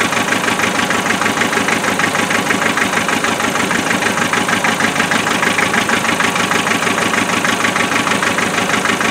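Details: Land Rover 2.5 NA diesel, cold start with glow plug: uneven, lumpy idle around three pulses a second, a cylinder dropping out; misfire at idle, cause not yet pinned down, investigated with thermal camera and injector tests.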